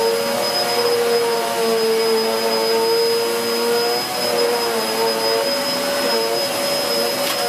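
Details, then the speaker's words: Hoover Whirlwind Pet WHS2102 001 2100W bagless upright on carpet, belt refitted: steady high-pitched motor whine over an even rushing brush noise, pitch dipping only slightly under carpet load. Aggressive brush roll; normal operation. "It's really raised the pile on that carpet nicely, and you can hear by how noisy it is that it's aggressive."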